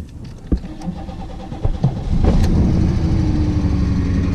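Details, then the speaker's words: 1987 Oldsmobile project car, hard starting: several uneven cranking bursts before it catches on about the fifth attempt and settles into a rough but steady idle, with a little smoke. "dang I don't know why she's not fine she sounded like she wants to but she just being stubborn"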